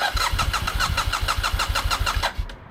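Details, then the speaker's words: 2015 BMW F800R with rough high idle and warning lights after washing: steady starter cranking about six pulses a second, never fires; cranks no start, no fuel pump click heard, fuel pump suspected. "So this is another issue that, you know, it's having since I got it. Move it a little bit over this way. It just doesn't start properly."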